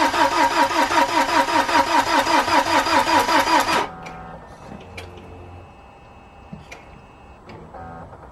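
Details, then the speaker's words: BMW N47 diesel first start after timing chain replacement and engine reinstall, battery left connected for weeks: steady slowish churn under three strokes a second for four seconds, never catching; flat battery, no start. "so if you haven't already worked it out we have a flat battery now I was kind of hoping this wouldn't be the case but to be honest it is to be expected"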